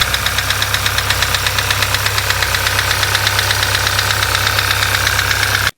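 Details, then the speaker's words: Sixth-generation VW Golf GTI 2.0 TSI direct-injection petrol (CCZ) at idle; sharp regular metallic knock a few per second; endoscope found a foreign object in one cylinder striking piston and head. "он начал стучать и сдавать посторонний звук при работе первым делом мы провели эндоскопией группы так как подозрение было именно на не и увидели посторонний"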